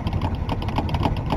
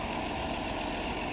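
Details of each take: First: 1962 Ford Falcon with 200ci engine, first start in a while after hand-priming the fuel hose, cranking about four pulses a second while the pedal is pumped, with no firing yet; the owner suspects no fuel has reached the carburetor yet. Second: 1962 Ford Falcon, apparently 200ci six, just started after a long sit by pumping the carburettor: even steady low rumble at idle, no knocks, misses or ticks — normal idle, runs good.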